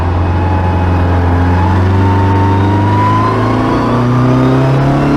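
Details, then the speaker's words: Skoda Felicia rally car with a Polo GTi ARC engine on throttle bodies, rally exhaust and straight-cut gearbox, on a dyno at full load from second gear; the engine climbs, then stalls and wavers, a repeating flat spot near 6 (thousand rpm) that won't pull past. "It's not happy, is it? This flat spot is repeating and it's kind of not pulling past. Yeah, it's around about 6 again, isn't it?"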